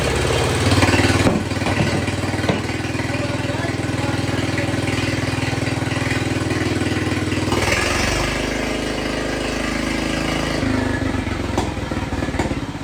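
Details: Jacobsen Chief 1200 tractor, cast-iron Kohler 301 single with a Chinese carburetor, after sitting 3 years, carb adjusted: a steady, even idle thump that picks up briefly with throttle and settles smoothly, no smoke; normal idle.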